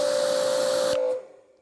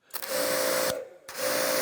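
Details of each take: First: Active 2.3 electric pressure washer fitted with an Uberflex hose instead of the factory hose: steady mid-pitched squeak over the spray hiss on every trigger pull, stopping on release, new after about ten pulls, with a longer start delay. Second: Active 2.3 electric pressure washer on the factory hose, trigger pulled and released 30 times: motor starts and stops crisply with each pull, no lag or stutter, normal on/off cycling.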